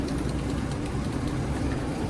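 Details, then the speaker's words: Car at a Japanese auction, 24,000 km, 3-speed automatic, two-wheel drive, AC fitted: uneven, lumpy idle with irregular dips; a little misfire is suspected, later traced to the AC load. "All right, we have a little misfire here, but let me check if it's turbo."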